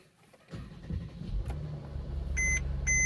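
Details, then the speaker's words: Mercedes-Benz GLK350 started after auxiliary battery replacement: engine catches, two short twin-tone chimes over smooth idle, and no warning message follows; normal start. "Well, that message would come up every single time, so I think we are good to go."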